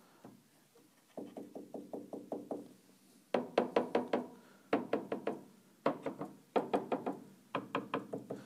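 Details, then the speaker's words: Grand piano keyframe with all six glide bolts set slightly above the keybed, so the frame is not bedded: quick bursts of hollow, clacking knocks as the frame rocks on the glide bolts. "I've adjusted all of them so that they're just a little bit above the key bed okay so you're gonna hear knocking on all of"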